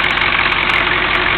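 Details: 1983 Chevy Suburban Silverado 6.2 diesel, recently replaced alternator, idling with hood open: steady, regular diesel clatter with no stumble or heavy knock; sounds healthy.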